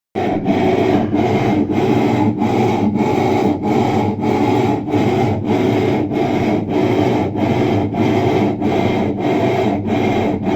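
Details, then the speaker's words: Electrolux LTE12 washing machine running: loud rough rubbing roar pulsing about 48 times a minute; noise persisted after the mechanism was replaced, motor bearings suspected and to be replaced. "ela tava com barulho muito estranho né ela tava com barulho muito estranho fazendo barulho alto e tal"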